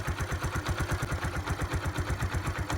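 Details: 2005 Kawasaki Eliminator 125 after replacing the leaking petcock, fuel set to prime, choke used: steady low putter at idle, even pulse about three per second, no misses or knocks; normal idle, no leaks.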